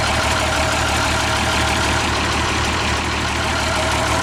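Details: Old engine, started in neutral: loud, steady low rumble with an even beat, no knocks or misfires; runs good.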